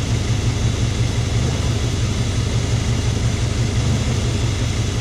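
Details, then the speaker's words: Warm engine at idle after a coil pack replacement, done after the battery died completely. A steady low rumble with an uneven, lumpy beat that stumbles; the misfire is improved but persists, and the owner suspects spark plug wires burnt by the surge. "replacing the coil pack has made it and helped it quite a bit but it's still got that bad mist so i think i'll replace the wires"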